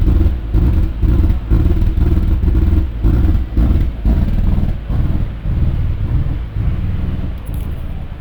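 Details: Ford BF Falcon XR6 Turbo with the throttle position sensor unplugged: a deep, lumpy idle that surges and sags about twice a second. Rough idle.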